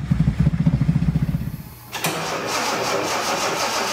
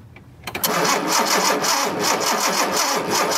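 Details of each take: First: 1976 Datsun 280Z fuel-injected six, long-sitting, first start attempt with fuel pressure: about two seconds of cranking, a catch, then a steady, even run with no knocks or misses; mice-packed foam later blew from exhaust. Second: 1976 Datsun 280Z fuel-injected engine, spark tester on cylinder six: starter engages and the engine spins over evenly but never fires; crank-no-start with no spark, new spark plugs to be tried.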